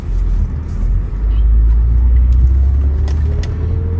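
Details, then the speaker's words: 2012 Hyundai Veracruz during turns after replacing the right front CV axle (nut torqued to 202 ft-lb), which had caused a clicking/popping noise on sharp turns: only road rumble and tire noise remain, with no rhythmic clicking. Noise is gone. "I don't hear the noise anymore"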